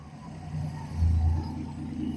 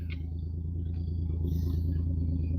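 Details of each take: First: Dart, carbureted, warmed up, with a possible exhaust leak under the car and the choke thermostat not yet replaced; low, soft, even idle with a gentle swell and no tapping. Runs smooth, quiet and normal. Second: Dodge Dart idling: deep, throaty, unmuffled rumble with a rough, uneven pulse; exhaust sounds broken somewhere underneath or muffler off, loud exhaust. Cause suspected, not confirmed.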